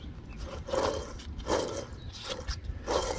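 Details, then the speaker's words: Old front wheel bearing removed from a 2008 Range Rover Sport and turned by hand. It spins too freely, with quiet gritty rasps in bursts about every 0.7 seconds. The bearing is worn and damaged on one side. "not supposed to spin that free and much less make that noise."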